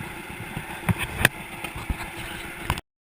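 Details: 1942 John Deere Unstyled A tractor conversion, engine previously stuck, first start after new spark plug wires: slow, lopsided two-cylinder putt at idle, steady and unforced with no knocking; normal idle.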